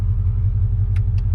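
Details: G-body LS swap with a small Summit Stage 1-type cam, idling in gear with Holley paddle-shift control. Deep, even V8 rumble with only a faint lope and no ticks or knocks. Healthy idle.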